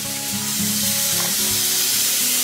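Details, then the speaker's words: Pressure canner holding quart jars of meatloaf, turned up high, at about three pounds of pressure just before the weighted gauge goes on. A continuous, unbroken steam hiss of steady strength comes from the vent, which is venting normally. "okay see that theme there it's unbroken venting and i'm at about three pounds to three pounds of pressure right now"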